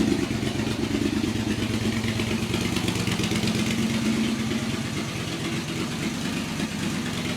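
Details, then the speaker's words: Yamaha XV1000 Virago V-twin, high-compression build with 750cc heads on the 1000cc engine, about 180 psi, first start on a jump battery on a cold early morning: even, loping idle at a steady beat, no knocking or clatter. It runs clean and healthy. "That sounds sick. Sounds really good."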